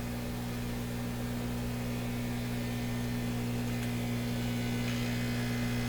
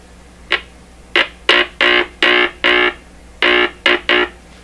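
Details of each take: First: Stewart Warner R514 tube radio on first power-up; its speaker reproduces a steady low mains hum with a buzzy edge, ending in a click. Air escapes through cracks all around the cone, so the cracked speaker cone is leaking air. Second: Stewart Warner R514 tube radio with its speaker under test, before tube testing and capacitor replacement. Nine short buzzy tone bursts come through clean and even with no crackle, rattle or distortion: normal speaker output.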